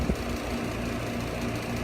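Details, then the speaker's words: Three-phase HVAC compressor, 17 years 6 months old, running with gauges connected: loud, rapid, uneven metallic rattle over the hum, like aluminum cans shaking inside; failing internally, replacement to be quoted. "Yeah, she's about gone. That's about all she could take. Sounds like somebody's got some aluminum cans in that compressor and they're shaking it for all they're worth."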